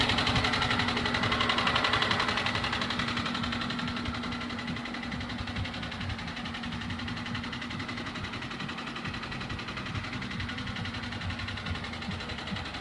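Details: Chevrolet Niva engine at idle: a light, even tapping about four times a second rides on a steady idle; an engine knock of unknown origin.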